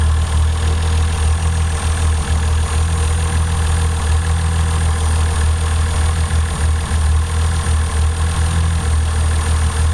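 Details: Toyota 7M-GTE engine at idle, checked with a Colortune spark plug: deep, uneven idle with an irregular stumble about three a second; cylinder 1 misfiring.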